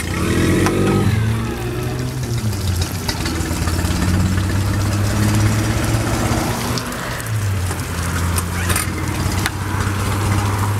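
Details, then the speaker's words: 2008 Tohatsu 9.8hp 4-stroke outboard, pull start: fires on a single pull, then settles into a smooth, quiet, even idle with no hesitation or misfire; starts every time and runs healthy. "and it'll start every time let's give it a pull it's very fuel efficient and very quiet"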